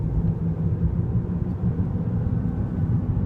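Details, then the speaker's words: 2006 Chevy Trailblazer driven at about 40 mph: a low droning, groaning growl that rises with speed, with a faint bumping pulse and vibration felt in the steering; worn front wheel bearing. "it's a kind of a grind not grinding but groaning bumping noise as you pick up speed a lot of vibration in the car"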